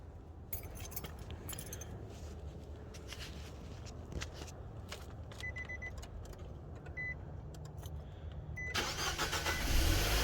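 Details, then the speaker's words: Petrol car after replacing a bad ignition coil that caused a cylinder misfire: keys rattle and dash chimes, then the engine starts cleanly and settles into a steady idle, sounding much better. "okay okay oh that sounds so much better that sounds way better"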